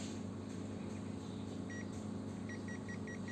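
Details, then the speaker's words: Zoyi ZT102A multimeter NCV tracer with the yellow button held on a plugged-in, unbroken radio cable: short high double beeps repeat steadily over a low hum; the tracer is picking up an unbroken live cable. "kalau bunyi titik-titik seperti kabelnya tidak putus."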